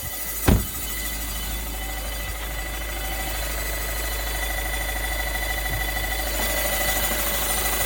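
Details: VW Golf 6 1.6 TDI 105 hp diesel at idle: faint metallic rattle over the normal diesel clatter, source unclear; metallic engine noise.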